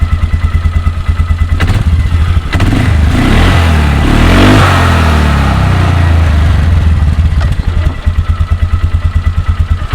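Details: 2004 Polaris Sportsman 400 after new CVT drive belt install, clutch cover on; single cylinder thumps evenly at idle, revs cleanly and drops back, no squeal, rubbing or slapping from the belt drive.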